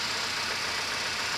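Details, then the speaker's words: 1993 Ford F150 inline-six at idle, plugs probably fouled: loud, hissing, raspy exhaust with little low rumble. Exhaust leak caused by a square cut out of the pipe ahead of the muffler. "right Morgan you hear this sound yeah that is very typical with an exhaust leak"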